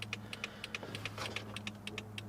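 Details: 2004 Toyota Corolla with LED front turn signal bulbs: sharp clicks about six per second, hyperflash as flasher reads a burned-out bulb; fix is an LED flasher (chosen) or inline load equalizer.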